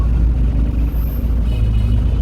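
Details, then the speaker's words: Toyota Hilux 1GD diesel with knocking and black smoke, scanner actuation test cutting the number one injector at idle: steady low rumble, slightly lumpy but fairly even; gear shifter shakes only lightly. "देखें, गाड़ी हिलने लग गई है, लेकिन ज़्यादा नहीं हिल रही, हल्की हिल रही है।"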